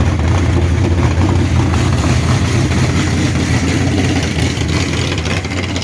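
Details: 1969 Camaro V8 idling for a few minutes, with old eBay heads, raised runners, Holley Street Dominator intake, 600cfm Holley, 12-601-4 cam kit and full-length stainless headers. A lumpy idle with an uneven chop and rough clatter: abnormal noise, cause unknown.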